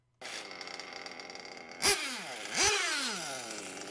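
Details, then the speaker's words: Small nitro RC car engine idling super low with a thin, weak buzz between throttle blips, almost stalling; the low-speed needle will be leaned to raise the idle. "so as you can hear the idle is super low it's almost not running so i'm gonna lean the low speed needle now to raise the idle"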